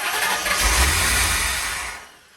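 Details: C4 Corvette after full reassembly; harsh whirring crank for about two seconds with no firing, then winds down; won't start, terrible noises, cause not yet known.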